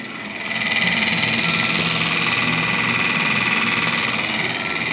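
Loud, rapid fluttering rattle over a steady fan hiss from a refrigerator: a loose snack bag slapping the fan blade.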